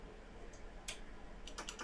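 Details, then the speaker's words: Refurbished ZX Spectrum issue 4S board on test with a keyboard plugged in. Light irregular tapping clicks in bursts over a low steady hum; keys actuating cleanly, keyboard working normally. "Yeah. Can you hear the keyboard clicking? There's actually quite a delay between the typing and the TV registering it."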